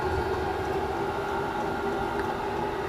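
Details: Chinese diesel heater in a shed running at full power after firing up, before calming to a low tick-over: a loud, steady roar with a constant mid-pitched hum and no misfire or rattle. Normal full-power running.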